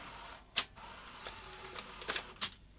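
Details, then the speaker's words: Sony Betamax SL-T30ME front-loading VCR, trying to eject or load: thin motor whir broken by clicks and clunks as the loading and lacing mechanism strains and stalls throughout the cycle; slipping loading clutch, lack of torque. "try that again oats struggling even earlier on in the cycle so it's not it's not struggling at some particular point in the loading cycle it's struggling all over the place so there's a definite loss of a clutch drive here"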